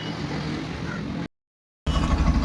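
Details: Low, steady engine beat with even firing and no misses or rattles from a Yamaha FZ version 2 BS6 after sensor fault codes were cleared; it earlier would not start in the morning and ran jerkily; now idles cleanly.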